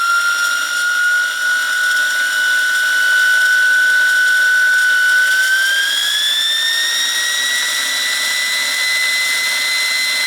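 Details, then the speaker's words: New Wilesco T115 steam turbine on first shakedown, about 1.6 bar indicated, leaky whistle: clean, steady high whistle climbing smoothly in pitch, no rubbing or rattle; turbine spins freely with good bearings. "And of course, it's got that turbine sound, which is uh unique. Definitely very unique."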